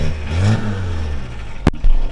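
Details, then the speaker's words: 1979 VW Rabbit 1.5 diesel, briefly revved: a loose metallic rattle and a sharp clunk from the exhaust resonator, whose internals broke loose the day after the broken exhaust was welded; owner plans to cut it out. "The internals of the resonator blew out after I'd gotten the exhaust fixed where it broke. They welded it, and then like literally the next day, the resonator starts rattling."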